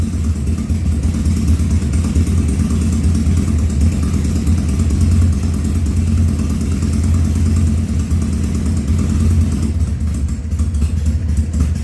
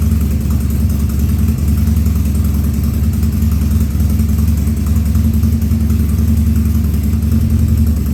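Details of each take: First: 2000 Harley-Davidson 1200 Sportster, first start after carburetor rebuild and leak fixes, air cleaner off: deep steady idle holding even over ten seconds, no coughing or popping; runs cleanly so far. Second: 2000 Harley-Davidson 1200 Sportster V-twin, first start after carb rebuild and leak fixes, air cleaner off: low idle with irregular stumbling beat and occasional coughs; running a little lean.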